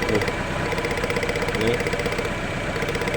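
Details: Chevrolet Lova idling unevenly and lumpily with a missing beat; pulling the cylinder-four plug lead changes nothing despite spark being present. Dead cylinder, cause possibly plug, injector, valve or compression; rough idle.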